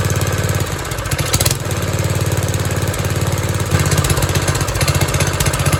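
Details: 1970s trike, believed MTD Mud Bug, with replacement John Deere ~5 hp single-cylinder engine, after idle screw reset to 1.5 turns: fairly steady, slightly uneven idle with no knocks or misses; running acceptably.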